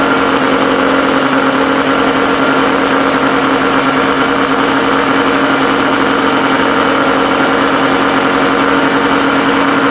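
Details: Suzuki SS20 Cervo, small petrol engine idling with a raspy, buzzy exhaust note from an exhaust leak.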